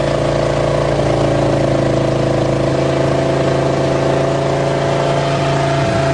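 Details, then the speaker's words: 1977 GMC 400 V8 truck after cold start, choke pull-off rod adjusted: strong steady rumble holding an even fast idle with no stumble or misfire while warming; normal warm-up idle. "now we'll let her warm up and see if she'll go for a ride"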